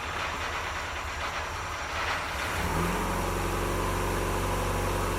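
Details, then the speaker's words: MKIII Triumph Spitfire, first start after a head rebuild, with oil pressure showing instantly: starter cranks, the engine catches after about three seconds and settles into a steady, even idle; normal idle. "Pretty good, pretty good, pretty good."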